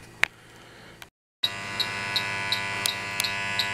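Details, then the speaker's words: HVAC system not cooling the house: the leak detector run at the coil sounds a quiet pause, then a high steady tone with sharp chirps about every third of a second. A refrigerant leak is found at the coil, which is extremely dirty and needs replacing. "right we're picking up one refrigerant leak right here"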